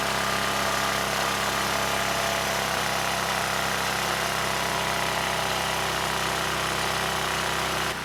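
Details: ETQ 2700-watt brushless generator, no load, after carburetor cleaning with original jetting: surging gone, but a steady, fast, high-pitched drone at 70 Hz; governor spring tension backed off fully and it still overspeeds, governor misadjusted.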